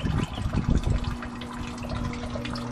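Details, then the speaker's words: Sump pump running after a stick jammed in the impeller was removed: a steady low electric hum with water churning, working well, though replacement is recommended since it was likely stuck on for a long time. "you can hear it humming away. It's just humming real nice. Everything appears to be working good"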